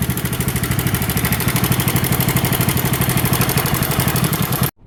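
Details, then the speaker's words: Motorcycle engine idling with fast light metallic clatter on each beat, customer thought the timing chain was gone; cam chain tensioner found faulty and fixed rather than replacing the chain. "അതേ ഒരു sound കേട്ടില്ലേ time ചെയിന്റെ time chain പോയി എന്നാണ് നമ്മൾ customer നമ്മുടെ അടുത്ത് കൊണ്ടുവന്നത്"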